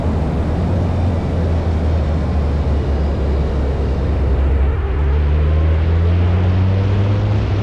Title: Ferrari 308 misfire and loss of power on mountain top